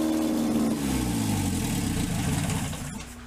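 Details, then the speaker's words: 1947 MG TC XPAG four-cylinder on an engine stand, probably first run in about 40 years, carbs untuned, leaking fuel line, about 50 psi oil pressure: fast, even idle for seconds before dying; idling on the high side. "seems to be idling a little bit on the high side maybe we can work that out"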